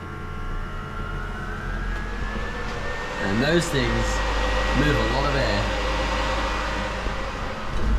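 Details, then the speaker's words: KE55 Corolla with the ignition on and the engine off: fuel pump and cooling fans, wired to run all the time with no thermostat switch yet, give a steady fan whir and faint pump hum; cooling fans running constantly at key-on. "when we come into here and we get our ignition on you'll hear our fuel pump and our fans come on"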